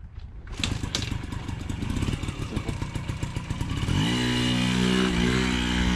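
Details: 1980 Yamaha QT50 first run in 8 years after new exhaust gasket, fuel and oil lines, throttle cable, front bearing and brakes, test ride: small two-stroke putters with quick regular pops, then steady rising buzz as it pulls away; runs cleanly.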